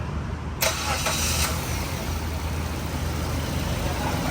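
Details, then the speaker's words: Mazda2 with long cranking on morning starts, traced to a fuel pump with no pressure. After key-on, it starts instantly because fuel remains in the lines, then settles to a steady even idle. "สตาร์ทติดตึ้มเลยนะครับคันนี้เพราะว่าในในไอ้ระบบเขมันมีน้ำมันค้างค้างสายอยู่นะครับก็เลยติดง่ายนะฮะ"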